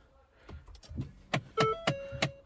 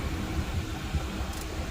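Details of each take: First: Ford Fiesta, noise under the dashboard: quiet repeated clicks about three per second behind the dash with a faint motor whine; failing blend door actuator, replaced. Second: Ford Fiesta after replacing the noisy actuator under the dashboard: cycling vent, floor, windshield, cold and hot settings gives only a soft, even blower rush and hum with no clicking. The HVAC works normally.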